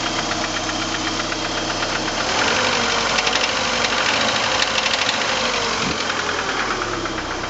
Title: 89 PGT Rod Knock?